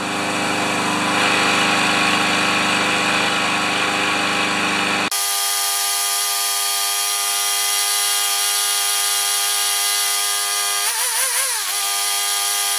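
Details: Powermore (Yard Machines) lawnmower after the carburetor jet was cleaned, running with oil and no air filter fitted: steady, even high-pitched drone with no surging or stumbling; runs properly.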